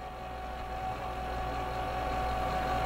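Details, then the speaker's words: Diesel fuel pump on FASS display stand with restrictor valve gradually closed to simulate a dirty filter: steady pump hum with thin tone and gravelly hiss building over seconds; pump cavitating from starved inlet, fuel boiling into vapor. "so I'm going to restrict this little by little you can actually hear it cavitating see look at this fuel"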